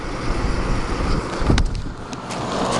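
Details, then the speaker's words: Air conditioner with LG compressor, recharged with refrigerant transferred from a Fedders unit, low fan, blowing ice cold; steady even fan whoosh over low compressor hum, no rattles or clicking: normal running. "but yeah i mean it's performing quite well and you can hear how i mean that's low fan or high fan this is low fan these units are really quiet and they perform really well"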